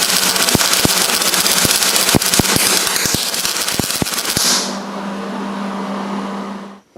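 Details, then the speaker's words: MIG welding roll cage tubing with heat set at 6 and wire speed deliberately fast, too cold: harsh uneven crackle with loud irregular pops and stutters and no smooth frying; the weld sits on top of the metal. "And a lot of what you're going to be doing with welding is listening as well as watching the puddle. So if you could hear kind of how it was crackling, you could tel"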